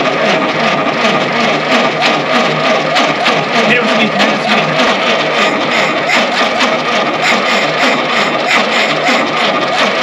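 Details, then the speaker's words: 1952 Willys pickup, off the road since 1991: starter turns the engine at a steady chug about three times a second but it never catches; cam timing found a tooth out, possibly a jumped gear. "i think we finally came down to figure out why this thing was parked in the first place and it would appear the cam timing is off a tooth"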